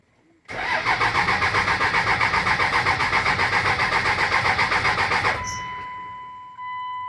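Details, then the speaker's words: Dodge Ram 2500 5.9L 24-valve Cummins diesel with codes P1689, P0237, P0230, P0177 after parts replaced: even cranking about four compressions a second for five seconds, never firing; cranks but won't start, cause not confirmed. "Now there is a problem with this vehicle. It's not turning on anymore. It cranks, but it won't start."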